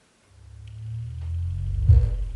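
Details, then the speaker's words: Bose Bass Module 300/700 that had no sound with solid white light, re-added in the app: deep low boom swells about two seconds, clean without rattle or distortion; normal pairing confirmation, subwoofer connected and working. "So, we all heard that noise. Now, this means that the subwoofer is successfully connected and it's working and it's showing up as a base module here as well."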